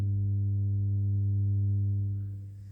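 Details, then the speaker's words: Used Denon DP-300F turntable with the belt removed from the motor pulley: the motor won't start at all, and a steady low mains hum comes through the speakers while the motor stays still. "trotzdem läuft jetzt der Motor gar nicht erst an und wie man hört ich habe ihn äh hoffe das kommt raus über die Boxen hört man auch einen leichten Brummton jetzt"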